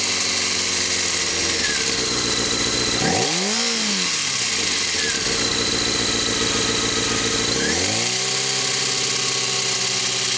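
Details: Honda CBR600 F4i motorcycle engine idling and blipped: harsh metallic rattle over the engine note, heard from about 2,000 rpm and up; source unknown.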